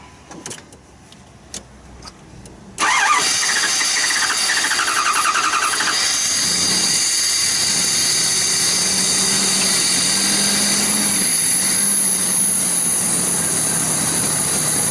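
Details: 2009 Dodge Durango with low fuel pressure, cranked with the throttle held open: quiet cranking clicks at first, then the engine catches and settles to a steady idle, pointing to poor fuel delivery from the pump.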